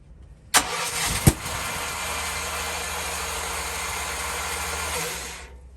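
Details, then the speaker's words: Propane generator, started only once since the new tank line was run, tested ahead of cold weather: a few seconds of steady cranking whir with no firing beats or catch. No gas pressure because the propane tank was empty. "Oh, what happened? I have no pressure here. You know what? This thing is empty."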